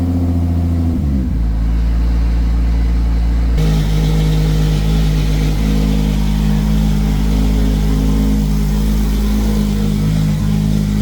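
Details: Toyota 2JZ VVTi JZ swap's very first start after ECU calibration and timing set (trigger setup issue noted): engine catches, holds an even idle, then steps up to a higher steady speed with no misfires or knocks; runs cleanly.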